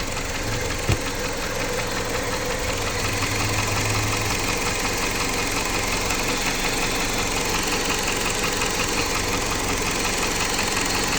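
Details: Jeep Patriot 2.4 petrol engine idling with a steady knock riding over it, close to three a second and only loosely even; engine knock, source not pinned down.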